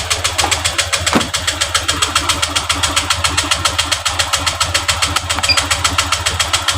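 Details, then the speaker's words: Honda Vario LED 125 scooter with loss of power, hesitation and stalling, scanned at idle: injector duration about 3 ms and idle rpm too low, later set to 1400–1500; slow, slightly lumpy idle pulse about twice a second. "dan durasi waktu stasioner itu injektor di 3 koma dan RPM masih rendah kita Setel dulu untuk rpm-nya melihat apakah ini rpm-nya normal"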